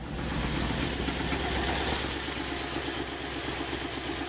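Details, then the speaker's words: Engine on new automixer gas fuel system, valve closed then self-adjusting: steady even idle, no stumbles or surging; automixer sets valve correctly, smooth idle. "opens it right back up again we're back to a good smooth idle"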